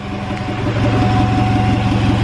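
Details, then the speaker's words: Integra with $600 eBay turbo kit, first start without coolant, short run to check leaks: slow, lazy but even idle with no misses, running on its own power; idle speed very low, no leaks seen. "look it's on the idle is like super low but it's fine"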